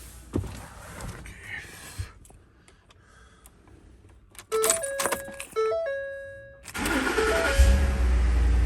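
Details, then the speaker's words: 2010 Ford F-150 at startup: tinny metallic rattle over the idle from an exhaust heat shield loose after its clamps rusted apart; fixed by replacing the clamps, noise gone. "it is very common for the heat showed clamps to rust apart and then you get that metallic sound that you heard at the beginning of this video"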